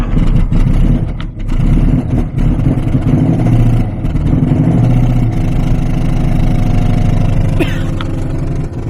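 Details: 1993 Lexus LS400 1UZ V8, first start: lumpy uneven idle running on only four cylinders, half the ignition system working, one bank dead; cam, crank sensors and ECU communicating.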